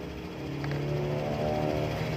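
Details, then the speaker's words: Honda Vario 150 scooter after new battery fitted for a no-start with clicking starter: starts and idles smoothly with a steady, even low hum, no misses or knocks. "Nah ini udah hidup ya"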